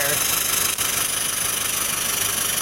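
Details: International RE300 school bus with 7.3 T444E diesel, air brakes locked up: loud continuous hiss of escaping air over the diesel idle. Leaking air dryer purge valve prevents the system from building pressure.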